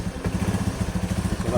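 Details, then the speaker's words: Scooter CVT after fixing worn, loose roller housing bushing, at idle: soft even low putter with no rattle or knocking, the earlier loud CVT clatter gone; quiet and healthy. "sudah senyap sama sekali tidak ada bunyi korok-korok seperti tadi."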